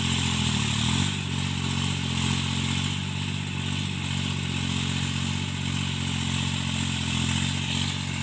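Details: Tractor diesel cultivating after an engine-knocking repair: even, steady drone holding pitch while pulling through the field, no knock or clatter coming through, a normal, healthy engine under load.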